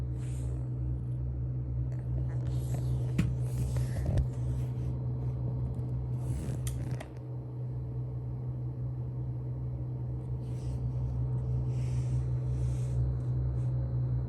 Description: AL120 bottom fans with deep low humming noise.